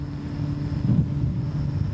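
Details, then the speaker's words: Aninerel 6.2 kW-PRO hybrid solar inverter running at no load in bypass mode drawing about 21.6 W, microphone held at the cooling fans; soft, steady low hum with a faint high tone, exceptionally quiet, normal. "Ось такий звук. Я такого тихого інвертора ще не зустрічав."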